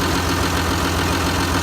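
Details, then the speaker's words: Link-Belt 3400 excavator diesel idling after its fuel injectors were replaced; cranked 2–3 seconds before firing. Loud, steady idle with an even beat; the earlier ticking and rattle blamed on the old injectors is gone, and it sounds better. "It turned over for maybe 2 or 3 seconds this time. But then fired right off. It does sound different. It sounds better, I can tell."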